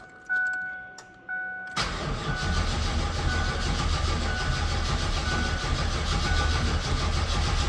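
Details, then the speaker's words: Mazda B4000 with LT1 5.7 350 small-block swap, sat outside for a while with 3-4 year old gas, battery charged at 40 A; fuel pump heard, long even cranking that never fires; no fuel pressure found at Schrader valve. "Okay, well, cranks. Definitely cranks. Shit, the gas is probably 3 or 4 years old too. This car hasn't ran in a while."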